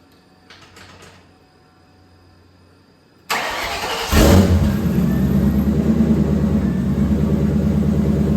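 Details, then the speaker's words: 700hp turbo Cobra V8 on E85, cold start after an oil change and MSD 2-step install: quiet, then starter catches and fires into a loud, steady, even fast idle, no knocks or misses; normal cold start. "That's how an E85 cold start should be."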